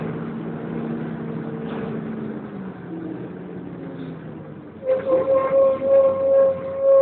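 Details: First West Yorkshire Wright Renown bus 60833 (W766 HBT) diesel on a service from Pudsey to Leeds: steady rumble, then loud pulsing high screech rising and falling, like a tyre burnout, from the cooling fan area.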